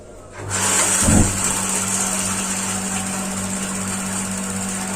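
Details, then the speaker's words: Gas water heater after changing to a new LPG cylinder: ignition clicks, a soft whoomp as it lights, then a steady even roar with a faint hum. It now stays lit and runs normally. "10 detik harus lancar tidak boleh mati lagi"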